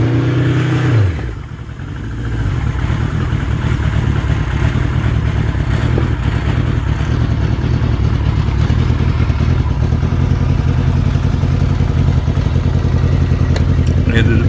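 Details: 1976 Kawasaki Z900, cold start around 25–30°C, choke high, revving high, PMC exhaust fitted since about 2012: loose, uneven metallic rattle in the left-hand pipe over the exhaust note; owner suspects something loose inside; also popping, possible air leak.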